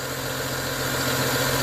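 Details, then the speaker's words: BMW E90 335i LCI with N55 engine after belt and pulley replacement, cold weather; smooth, even idle with steady low hum and no chirp, squeal or ticking from the belt side: normal idle, noise gone. "the sound is gone there's no sound anymore"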